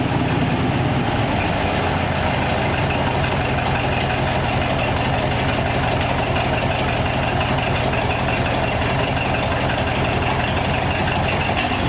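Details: 1934 Ford 5-window with a carburetor, running after fuel system work and a replacement gas tank; low, steady idle with an even pulse and no ticks, misses or hunting over twelve seconds, notably quiet; normal idle.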